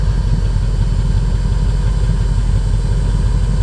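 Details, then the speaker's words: 1988 Mercedes 560SEC V8 with aftermarket catalytic converters, exhaust sound at idle: deep, even burble with smooth unbroken rhythm, no missing beats; all eight cylinders firing. "You hear all 8 cylinders firing up."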